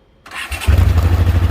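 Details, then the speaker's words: 1980 Honda CX500 Deluxe motorcycle, cold start in neutral: brief starter whirr, then catches within half a second into a strong, even low rumble; healthy cold start. "there you go fires right up i hadn't started this this was a cold start today"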